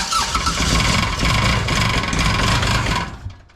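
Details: Kubota RTV900 diesel, sat long, new starter, on jump pack after glow plugs about 10 seconds: steady cranking about four turns a second for three seconds with no firing; fueling issue suspected.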